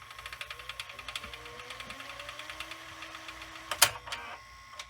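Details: Sanyo VHR-H519 VCR, late 1990s or early 2000s, fast forwarding an EP tape: even whirr with quick regular ticking and a faint rising tone as the tape spools up; smooth, normal fast forward.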